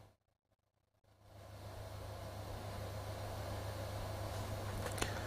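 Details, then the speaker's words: Cassette deck playback test: tape settles into even run with low mains hum and soft hiss, no wavering or dropouts; stable, earlier instability blamed on one cassette's thin spindles, not the deck. "yeah that one does seem more stable for some reason"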